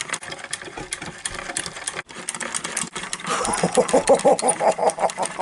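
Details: 1930s Little Mother toy sewing machine after cleaning and repair, previously seized and squeaking: a light, even clatter of about three stitches a second with no squeak or binding; it sews freely, normal running.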